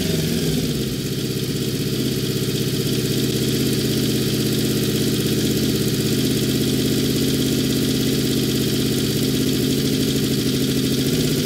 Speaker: there is something going on here i cannot figure out what it is i cannot get the idle down anymore